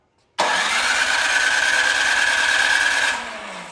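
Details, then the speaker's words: Craftsman 26-inch snow thrower with a 270-QU engine that had sat for years, on choke and primed three times: the electric starter spins it for about three seconds without firing despite good spark. No start. "we have very good spark but it is not starting and it is on choke that means our throttle is set good"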